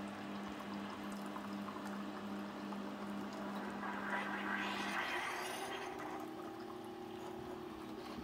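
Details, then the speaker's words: Keurig K-Duo brewer brewing: low steady pump hum shifting pitch with water gurgling and hissing; normal noisy boiling for this model, unlike the quieter one in the comparison. "these two are noisy anytime they're boiling at water they just sound noisy there you can hear that water boiling"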